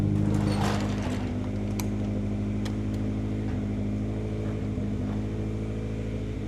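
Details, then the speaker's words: Honda CR-V after new fuel pump, filter not yet changed, idling high after clearing codes: steady, even idle with low drone, no misfire heard, but fuel pressure gauge appears to read only about 10 psi. "Okay. Doesn't sound like it's misfiring. I didn't see the pressure yet. Okay, how is that possible? Are we at 10 PS? There's no way!"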